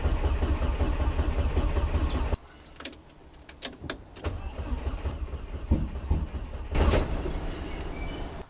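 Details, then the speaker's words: Volvo S40 with Holset HX40 turbo on new Speeduino ECU: steady rumbling crank for a couple of seconds that never catches; ECU reads no engine speed, fuel smelled; crank sensor polarity suspected wired the wrong way, timing out. "i think i actually had the crank sensor polarity the wrong way so uh timing was out somewhat"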